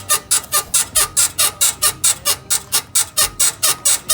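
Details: BMW E53 X5 rear suspension while body is rocked: high rhythmic squeak about twice a second with each rock; traced to right rear upper control arm, to be replaced.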